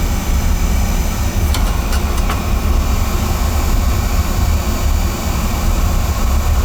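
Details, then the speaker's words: Carlin oil burner with running issues, after disconnecting a part and with air wide open: deep pulsing rumble with uneven low throbbing under a steady roar, still choking out rather than burning smooth. Cause suspected, possibly the motor, not confirmed. "lot better hear it see if it [Music] stays well she's still choking"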